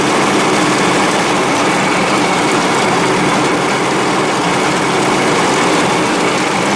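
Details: Dixon 72-inch mower with 1200 hours, after deck pulley repair and an earlier intermittent misfire: engine holds a steady even roar, no stumbling, popping or misfire; runs clean.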